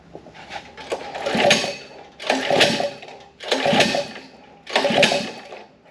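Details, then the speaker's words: Harbor Freight Predator engine on gas Power Wheels build cranked with throttle: four slow pulls, rising then fading whir with light ticking, never catches; fuel confirmed in bowl, no spark suspected, plug later showed good spark. "all right let's give a little bit of throttle nothing okay I'm starting to think that we don't have spark"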